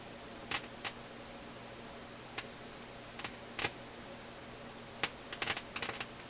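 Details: Philips console tube stereo receiver, tube moved to other socket and noise now in other channel; sharp random pops and crackles at irregular intervals over quiet low hum in audio output, cause unconfirmed, being traced from power supply with scope.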